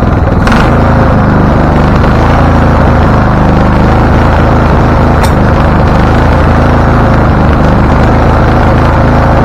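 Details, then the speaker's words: Husqvarna LTH 1438 riding mower (engine cover says 13.5) that backfires through carburetor and exhaust, first start attempt with choke open: loud, uneven, lumpy rumble with occasional sharp cracks; runs rough, shop suspected loose cam gear, unconfirmed. "okay so it is running it doesn't like the idea but it's running"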